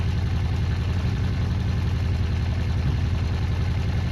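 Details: Honda CB400 Four classic motorcycle during restoration, cold start in freezing weather after tappet adjustment and carburetor work: smooth even idle, steady low beat, no knocks or ticks; normal idle.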